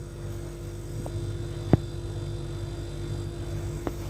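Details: Refrigerator with door closed: steady low compressor hum with faint constant tone and a couple of soft clicks, no rattle or knocking; compressor sounds healthy.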